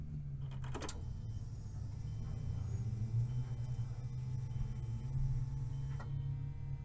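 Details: 2003 Nissan Frontier XE 2.4L four-cylinder with hot-restart hard-start problem: key on, engine not cranked, mic held close; a click then a low steady hum for a few seconds that stops — fuel pump priming normally, after fuel pressure regulator replacement.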